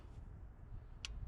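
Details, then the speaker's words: 2019 Kia Forte, 35,000 miles, replacement engine setting code P0017: key on, engine off actuation test of the timing oil control valve gives a sharp crisp click over low hum; the valve is clicking and responding normally. "all right it's definitely clicking stop that so it definitely could click that much we know"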